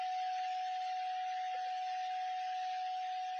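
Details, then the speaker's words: Cyber Acoustics CA 2014 right speaker during a left-speaker repair, test tone: clean, steady tone near 700 Hz with no crackle, buzz or dropouts. Normal test tone playback. "There should be no audio from the left speaker at all. So there it is. Okay, and now I'm going to pan it to the left and it should get louder."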